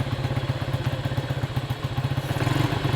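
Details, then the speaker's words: Neglected Honda Trail 70 minibike with a Lifan-type engine, choked, first start in a long time; small single thumps evenly at about four beats a second with no stumbles or rattles, healthy steady idle. "say what you want about these lifein motors but they were designed after the Honda Motors and uh you know they they just work that is awesome"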